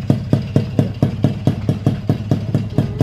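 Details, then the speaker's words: Freshly rebuilt, ported Alfa two-stroke touring-spec engine, stock carburetor, 14-tooth front sprocket, stock ignition, first start: crisp, evenly spaced pops about two per second, steady, smooth, no knocking; normal idle. "halus teman-teman suaranya Udah rapih udah enak kan"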